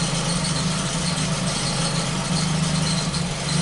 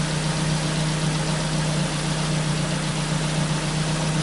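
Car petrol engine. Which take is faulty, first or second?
first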